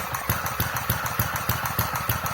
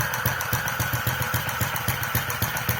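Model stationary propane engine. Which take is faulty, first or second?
first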